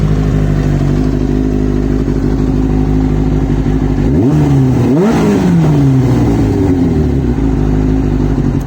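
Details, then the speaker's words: Kawasaki ZX6-R off the road since 2015/16, after starter motor replacement: steady even four-cylinder idle with brief throttle blip rising and settling cleanly, sounding much healthier; normal idle. "but that sounds so much healthier so much healthier i'm just going to let that run for a bit just to just to get the uh get the juices flowing slightly i suppose and there we go there's kermit furring happily away"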